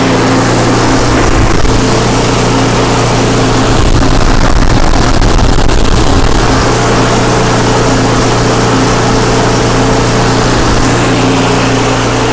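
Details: Craftsman 5/24 track snow thrower, small single-cylinder engine, after carburetor cleaned with carb spray and compressed air (seller's earlier carb clean failed): steady even drone at constant speed, no knocks or hunting; healthy and smooth, restored.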